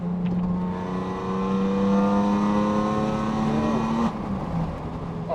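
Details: Renault Avantime 3.0 V6 with ceramic clutch and lightened single-mass flywheel: clean rise in pitch to a steady high rev and back down, smooth and even with no knocks or rattles; healthy V6.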